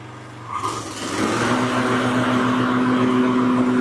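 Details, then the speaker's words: Toro Timemaster mower after replacing PTO belt, test run before cover goes back on: small engine catches and settles into smooth, even run with steady hum, no knocks, slips or belt squeal. "Perfect. So, now that you got that all taken care of, everything's running good and looks good, you can reinstall"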